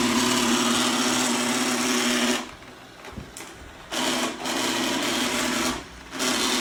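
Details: Eufy G30 robot vacuum about one year old: extremely loud harsh grinding buzz cutting in and out as it runs.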